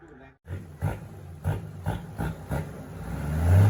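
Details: TF08 with an H07D diesel, racing valve springs, turbo and a new pump, freshly built. Quick throttle blips, then a sustained rev-up that pulls cleanly without stumbling: revving normally.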